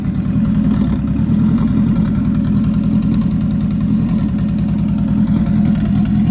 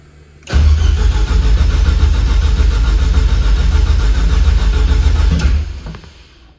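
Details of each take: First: Rebuilt Nissan Juke project, first runs after the build: a steady, even warm-up idle with a smooth low rumble and no misses or knocks, running on its own. The air-fuel readout was not displaying, and a small oil leak was noted. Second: Rebuilt Nissan Juke project, first start attempts: the starter spins hard for about five seconds, then sags and cuts out. The owner found that low battery voltage shuts the electronics off during long or repeated cranks. The battery is weak and was put on a charger.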